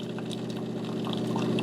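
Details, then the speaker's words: De'Longhi TrueBrew CAM51025MB brewing automatically: it grinds coffee into a puck and shoots hot water through it, with coffee starting around 160° and ramping up. Steady low pump hum with liquid trickling and pouring; normal brewing pump and pour. "it's going to shoot water hot water through it to brew your coffee this is all automatic and it is rather quick"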